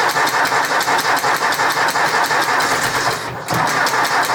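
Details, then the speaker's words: 1964 Ford 4000 Rowcrop diesel tractor, first start after two-year restoration and injection bleeding: uneven pulsing idle with irregular pops about three a second and a brief dip; owner guesses an air pocket in fuel lines, stopped before. "but it did it the last time I ran it, and it eventually stopped. I guess it's an air pocket."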